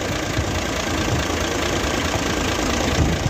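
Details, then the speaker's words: Nissan truck FE6 diesel engine idling: rough low thump with a strong steady hiss of very high crankcase blow-by (back compression). "हैं तो यह देख सकते हैं कि बहुत ज्यादा बैक कंप्रेस है बहुत ज्यादा है"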